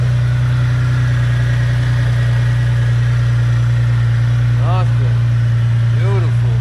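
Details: Mitsubishi 3000GT VR-4 after installing AEM fuel pressure regulator and gauge, new fuel pump and fixing boost/vacuum leaks, restarted once fuel pressure restored; engine settles into a steady, even idle with constant low hum, no misses or hunting: normal idle.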